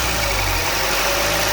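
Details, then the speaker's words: 2019 Volvo XC40, 2.0L L4 B4204T18, failed PCV oil trap (codes P0171, P0507): with oil cap on, steady idle with faint constant high squeal/whine over engine note; bad oil trap squeal. "And when I go and put the cap on, you'll hear the squeal it's supposed to make. And on this, it'll squeal for about 5 minutes until you take the oil cap off."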